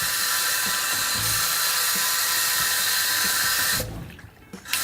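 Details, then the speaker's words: LED faucet light on a sink tap: steady high-pitched whine from its small generator turbine over the rushing water, dropping out briefly when the flow cuts; normal turbine whine. "oh wow okay so that's cold here that makes a little noise"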